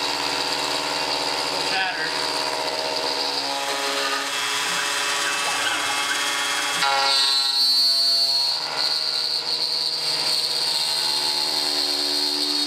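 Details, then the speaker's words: First cut on a Millright CNC Power Route router: a steady high-pitched ringing squeal over the spindle hum as the end mill chatters heavily near the top of the cut, leaving a rough finish that is bad for the tool. "it shattered up here at the top a lot you hear that that was pretty helpful it's bad on my tool but I just wanted I to keep going because why not"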